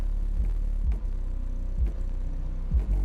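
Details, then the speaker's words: Boss Audio CXX12 1000 W 12-inch 4-ohm subwoofer on an NVX XAD13 3000 W amp at low power, first play: deep bass throb with a soft pop about every second; owner suspects the box is about double the right size. "that little pop now that could be because the Box may be too big too so I don't know if that's because really this box is probably like double what we should be having it on"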